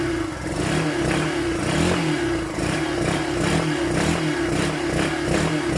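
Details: Yamaha SZR150 single-cylinder motorcycle, unused for a year: uneven blipping with revs surging and dropping and stumbling pops. Intermittent misfire traced to a faulty ignition switch, not the carb or air vent.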